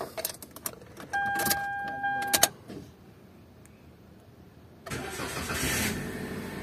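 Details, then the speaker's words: 2018 Toyota Avanza that had crank-no-start from immobilizer failing to read swapped chip keys; with original key, dash chimes, a pause, then engine catches promptly into a steady idle, though check engine light stays on. Normal engine start. "start siya mga idol pero naka-check engine"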